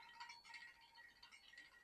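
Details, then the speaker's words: Bicycle upgraded from mechanical to hydraulic disc brakes, wheel spinning: faint, constant light scrape, not pulsing once per turn; the rotor isn't bent but is rubbing an off-centre caliper, which needs re-centring. "sounds consistent so that means it's not perfectly centered if I heard the rotor uh once or twice scrubbing then that would tell me that it's that the rotor's bent"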